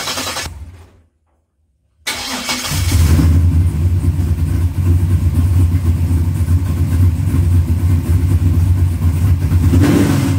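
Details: Holley 4-barrel carburetor on a 1970-72 Chevelle after a float pan gasket and diaphragm replacement for a fuel leak, started with starting fluid. It cranks briefly, fires and settles into a steady even low rumble with no stumble or misfire.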